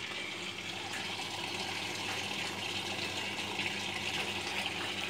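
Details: LG WF-T801TD automatic top-load washer that won't stop filling, lid off while the valve solenoid voltage is checked: a steady hiss of water rushing in with no pause or shut-off; the fill keeps running when it should have stopped.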